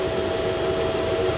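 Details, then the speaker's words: Lifan KPR 165 FI motorcycle: steady whirring hum of the radiator fan running from start to stop, with a red warning light on the display and the engine getting very hot; coolant ordered; radiator fan running constantly. "এইযে শব্দ হচ্ছে ফ্যানের শব্দ মানে bike start করার একটু পরেই এই যে লাইটটা জ্বলে থাকে লাল যে লাইট দেখা যাচ্ছে স্ক্রিনে"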